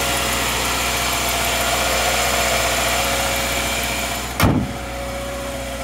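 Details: 2013 Subaru Outback 2.5 L FB engine, cold start on thin 0W-20 oil, oil not low: busy clattery top-end rattle with one sharp knock near the end; worse in hotter ambient temperatures; switch to 5W-30 synthetic planned.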